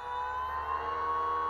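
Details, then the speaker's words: BLDC 6384 140kv motor on e-bike controller, reverse-rotation wire sequence: smooth steady whine, even loudness, no knocks or grinding; nice smooth startup and normal run. "all right system on rotation as you can see it's reversed from right here nice and smooth startup"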